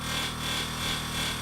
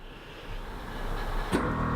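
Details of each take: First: Toyota Hilux air suspension compressor running: steady motor hum with constant dry scraping as the added cooling fan blade catches on its surround. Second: Toyota Hilux air suspension compressor switched on to raise the suspension: abrupt kick-in then steady even electric hum and whine; normal compressor operation.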